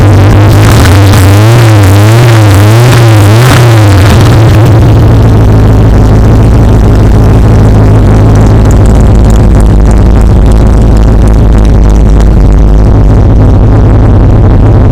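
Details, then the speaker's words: Street/strip car with a new out-of-the-box Summit 600 carburetor, 5-speed in neutral: the V8 fires on a bump of the key and settles into a deep, loping, steady cam idle. Runs well, good fuel metering. "So it runs really well, fires right up, it shuts right down. The fuel metering is very good."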